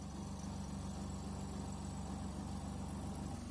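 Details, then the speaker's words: Semi-automatic washing machine spin-dry motor after replacing a degraded capacitor with a 12 µF one: steady even low hum, turning smoothly without stalling or catching, running normally. "这个马达负责洗衣服的正转、反转，这个马达负责脱水的，它可以启动，可以转动。"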